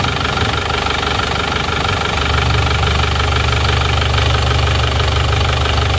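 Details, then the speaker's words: Isuzu Panther diesel after engine overhaul for blow-by smoke and oil spraying from filler cap and dipstick: even idle with steady light clatter around two beats a second, no misses or knocks; smoke gone, running smooth. "ya sudah bersih ya enggak mengeluarkan asap Seperti yang kemarin ini lihat sudah cukup mantap suaranya pun halus ya ini siap lagi"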